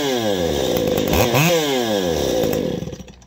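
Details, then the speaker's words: Two-stroke chainsaw after carburetor mixture adjustment by ear: blips up crisply and drops back smoothly to a self-sustaining idle without bogging or stalling, normal running with the mixture set right. "you're basically once you get that adjusted you want two things you want it to idle by itself and you want to sound good idling"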